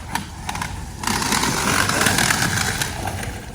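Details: Traxxas XMaxx RC truck after a PowerHD 80kg servo upgrade, driving: ticking, then harsh gritty ratcheting rasp under power rising with speed; rear wheels drive, fronts don't. Front diff ring gear failed, blamed on a front bulkhead cracked months earlier.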